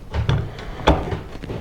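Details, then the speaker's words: Ford Ranger front driveshaft, removed from the truck, possibly original at 338,000 miles; caused vibration at 45-50 mph. Joint turned by hand gives loose, irregular clunks and knocks; dry, no grease. Worn dry CV (rzeppa) joint, fixed by replacing the joints. "Now with the front drive shaft out of the vehicle, you can hear what's going on in there."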